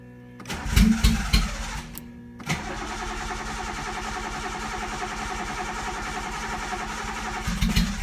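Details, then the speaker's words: Datsun with no exhaust fitted, after rewiring the fuel pump to run constantly: a few rough blips, then a steady, fast, raspy idle that never settles; high idle persists, owner suspected lean running from fuel pump wiring but change didn't help. "okay so that didn't help my high idle um let me just make sure that the fuel pump is still running sure does um it didn't do anything for my high idle"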